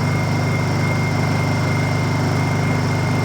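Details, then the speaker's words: Honda EU2000is inverter generator, bought non-running, running long before a fluids change: smooth, even low thrum at steady speed with no misses or knocks; healthy normal idle. "this one just runs and it runs well okay I'm going to be pretty happy here for the next hour or so"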